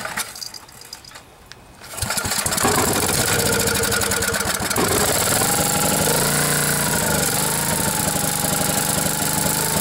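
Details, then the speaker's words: Briggs and Stratton 10 hp generator engine after blown head gasket replaced and head bolts torqued to 165 in-lb, choke held open by finger: cranks, catches within seconds, settles to a steady even idle with no misses or knocks; normal start and idle. "all right time to test this baby out I'm going to have to hold the choke open with my finger because I don't have that plate on"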